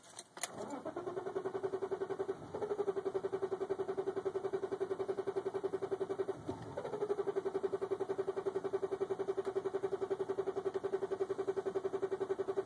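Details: 1995 BMW 325i (E36) in neutral, foot off clutch, brake and gas, with the fuel pump primed: steady, even cranking at about 220 turns per minute for several seconds, twice, never firing; long-standing hard-start fault where it starts reliably by popping the clutch, cause undiagnosed.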